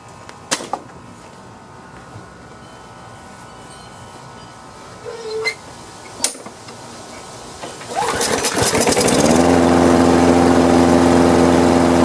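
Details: Free Craftsman lawn mower after carburetor cleaning. A few quiet clicks, a short pull, then it catches at once and settles into a steady, even drone; starts easily and idles normally.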